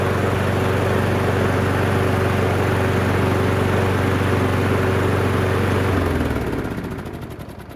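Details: Abused Craftsman lawn mower after carburetor cleaning: a steady, even single-cylinder putter with a low drone and no misses or surging, then it winds down and stops after about six seconds.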